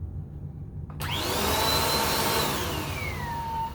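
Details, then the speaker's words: 2017 Bissell Powerforce Compact 2112 vacuum after brush roll bearing service: motor spins up fast with a thin whistle over the roar drifting down in pitch; abnormal running noise of unknown origin. "So play with it a little bit, and I think you can figure out a way to eliminate all or most of that weird noise."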